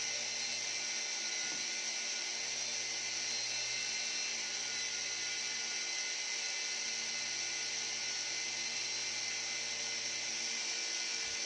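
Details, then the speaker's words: E88 Pro toy drone motor, owner suspects it burned out after repeated failures to start; thin steady high-pitched electric buzz with no spin-up, motor vibrating in place, neither propeller turning. "Tapi sebenarnya apa itu? Keduanya tidak mau berputar. Ini bergetar, teman-teman."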